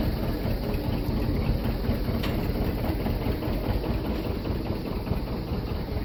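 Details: John Deere 730 diesel, rebuilt water pump, first start in about 8 years after sitting in a shed, clutch engaged: deep, steady low thump running evenly under a bit of load with no knocks; healthy, tight engine, normal idle.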